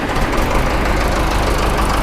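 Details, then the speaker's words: John Deere 455E track loader diesel after engine rebuild, running ~30–45 minutes then missing: loud clatter at idle with lumpy uneven beat; injector lines barely squirt fuel, owner suspects aging original injection pump not making pressure to crack injectors; no blow-by. "it run fine for half an hour 45 minutes or so started missing out but confident motor's still fine there's no blow by to it um like say it's just not getting enough pressure to crack those injectors open"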